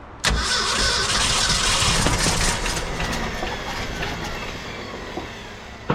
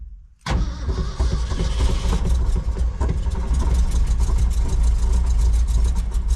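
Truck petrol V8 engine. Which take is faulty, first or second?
first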